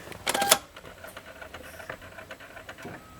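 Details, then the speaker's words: 2004 Lexus LX470 power steering column, height adjust working but telescope not: brief high whir of the small motor and gear spinning freely with no movement; broken telescope drive part. "the in and out the telescoping feature is not working you can hear the gear spinning and nothing happening"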